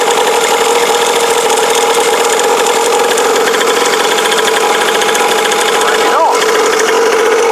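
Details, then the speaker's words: Cheap kids' motocross bike, small single-cylinder, being revived, cold day, running on choke: a steady, even high-idle buzz with no stumbling; the little engine ticks over nicely. "anyway as you can hear I've got this little bike ticking over it's un choke at a minute I think it will die if I take it off choke but we'll try"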